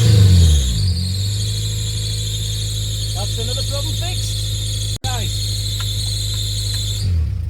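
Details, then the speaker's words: 1998 Honda Prelude at fast idle, about 1600 rpm, after replacing the EGR valve to cure hunting idle: a loud, constant high-pitched squeal over a smooth idle from the slipping fan belt, still to be sorted. "there's a big big squeak coming from the fan belt that we got to S out as all so ignore [Music] that"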